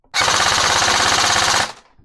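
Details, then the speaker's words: Airsoft AEG with the stock OEM motor on full auto: a crisp, even burst of about 16.7 rounds per second for a second and a half. Gearbox and motor cycle cleanly. "16.7 rounds per second. Let's move on to the next motor."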